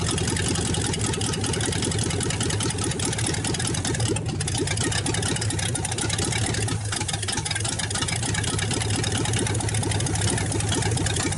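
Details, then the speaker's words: 1954 Ford Y-block 239 V8 first start in 20+ years; loud steady idle with open exhaust, very little smoke, no knocking or lifter tapping; normal idle. "Nothing wrong with that engine. Very little smoke. No knocking. I don't hear no lifters tapping."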